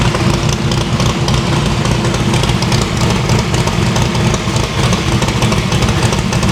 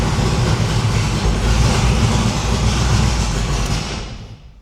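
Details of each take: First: No-prep drag-racing stick-shift V8 after new PAC valve spring install: previously run on four plugs, now all eight plug wires on, headers still cold on one side. Loud, heavy steady idle, no dropouts. Valve springs seem okay; distributor index/rotor button fix expected to cure the misfire. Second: No-prep drag car V8 fired up after new PAC valve spring install, with four plug wires accidentally left disconnected: loud, uneven, lumpy rumble that stumbles before shutoff; misfire from running on only four cylinders.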